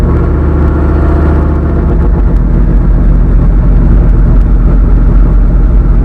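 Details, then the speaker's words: Skull Garage black truck, fresh engine build after a blown head gasket at 11 lb boost, about five pounds of boost: deep, steady V8 roar pulling hard with clean, even firing, no knocks or rattles; healthy engine under boost acceleration. "it's a lot more motor it is that's only five pounds let's pull right there boy"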